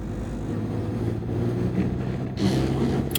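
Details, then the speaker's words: Mini Cooper bought at auction with mechanical damage, idling slightly warmed after new spark plugs. Steady low idle with a faint uneven pulse, lumpy rather than smooth; rough idle vibration persists, and the owner may look at VANOS next. "Like a little vibration, but you know, it's not perfect. There's still more."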